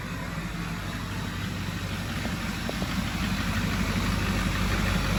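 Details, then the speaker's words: Neglected LBZ diesel idling after a parts install and regaining fuel prime: low, even idle at about three beats a second, much quieter than before, with no rattle or knock. Running normally. "Much quieter though."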